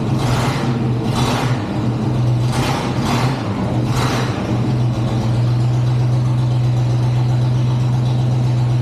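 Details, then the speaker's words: 1963 Chevrolet C20 with a 394 Olds V8, unrun since 1998, fired on the first crank: steady low idle with an even beat and no knocks or misses, a few brief louder swells early on; normal idle. "I'm surprised first crank it fired up woo that is exciting"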